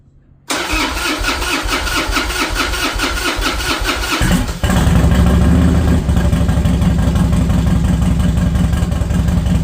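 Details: Harley-Davidson Dyna Wide Glide that had sat, after fuel pump replacement, recorded without the microphone attached: about four seconds of cranking, then the V-twin catches and settles into a strong, even, lumpy idle with steady firing; healthy start.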